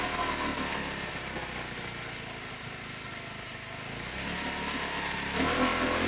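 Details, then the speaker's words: Mercury 5 hp outboard in a water bucket, first start after repair of the bottom housing and lower unit: small engine buzzing at a steady, even speed with no knocks or misses; normal running. "I've absolutely soaked my garbage, but I'm all right with that because I'm delighted that it runs."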